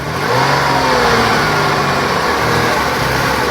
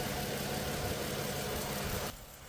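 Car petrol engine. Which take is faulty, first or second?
first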